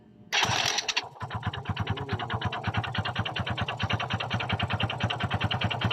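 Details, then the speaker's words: Kymco Visar 110 after reinstalling the clutch housing: engine fires up into a quick, even knocking, about eight per second, over idle; internal engine knock persists. "bad news guys hindi nawala ang ingay o kalampag sa loob ng kanyang makina"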